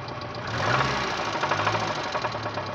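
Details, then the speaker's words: Renault 9 at idle: steady idle with a distinct rapid, fairly even metallic knock from deep inside the engine; owner suspects worn bearing shells. "в общем есть явные признаки стука и мотор мабуть скорее всего вкладыши"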